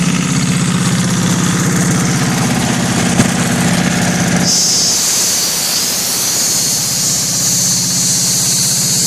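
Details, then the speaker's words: Kohler KD425-2 diesel in cold weather after leaking fuel lines were fixed: a steady, even low chug with a regular beat and no misses, a slight high-pitched two-cycle-like tone, and a hiss over the second half. Normal idle. "right there, I can hear a little bit of that two-cycle tone I was talking to you about."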